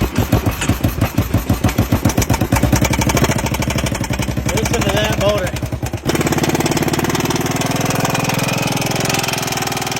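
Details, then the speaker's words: Kawasaki engine, likely needing crank work, started with battery, choke and carb spray: sharp regular knocking keeping pace with firing as it catches and idles; heavy bottom-end knock, suspected crank, unconfirmed. "Well, I got it back home and I got it running and oh yeah, she's going to need some crank work."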